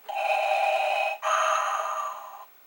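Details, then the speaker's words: Commodore 1541 disk drive powered on for testing: short whirring hum that breaks, then restarts at a different pitch before stopping, disk spinning; normal spin-up and head seek. "and it seems to be working so far so good so um"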